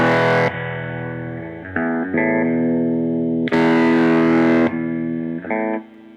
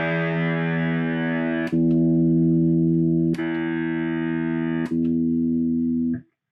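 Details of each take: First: Ampeg Reverb Rocket amp before repair: guitar chords abruptly lose bright dirty edge and volume, then snap back when the footswitch cable is moved; cracked solder joint on the PCB-mounted footswitch jack. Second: Ampeg Reverb Rocket after reflowing a cracked solder joint on the footswitch jack: held guitar chord rings through three sharp relay clicks as channels switch, no cutouts even when the jack is wiggled; no new parts needed.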